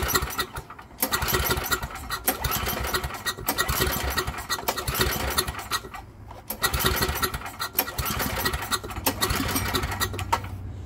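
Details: Long-unused generator being tuned up, refilled with 91-octane ethanol-free fuel, choke open, no primer; several recoil pulls each giving a brief chugging burst that dies with no catch: cranks but won't start.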